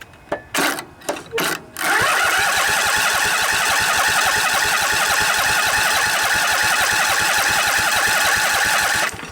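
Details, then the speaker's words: Briggs and Stratton Intek twin-cylinder 20-25 hp engine in a riding mower, junkyard revival, with a little choke: steady starter cranking about 3.5 beats per second for seven seconds without catching while the fuel pump fills the filter and carburetor float bowl. "Give it a little choke. It's got to fill up the float bowl, remember, so it'll take a little while. Pumping fuel."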